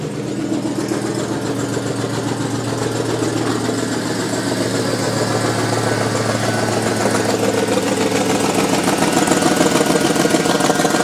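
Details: 2003 Yukon V8 with no engine light on idles, then revs with a rough, pulsing exhaust note riding over the engine; unidentified exhaust-side noise, source not yet found.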